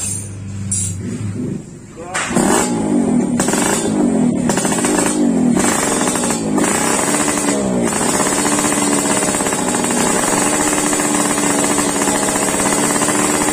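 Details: Yamaha RX King two-stroke, warmed up after daily carburetor tuning, exhaust sound test: a brief crackle, then a high buzzy rev that climbs and holds steady without misfiring. It runs clean and responsive.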